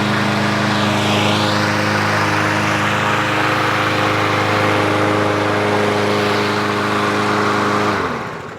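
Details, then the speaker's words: 2023 Craftsman M110 lawn mower that died while cutting and wouldn't start, after carburetor repair, bail handle held: single-cylinder engine holds a steady, even buzz, then winds down cleanly at shutoff; runs healthy. "you know that's the sound of right that is the sound of sweet sweet victory and victory is what we like here"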